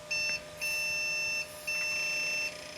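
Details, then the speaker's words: 1997 Compaq Deskpro 2000 (AMD K6), first power-on in 16 years, CMOS battery dead: three long high beeps at power-on with blinking keyboard lights, a POST error; owner suspects RAM, possibly video or the dead battery. "bad beeps blinking keyboard that's a first never had that before that could be a ram error"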